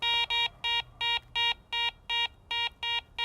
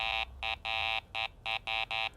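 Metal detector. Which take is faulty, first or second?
first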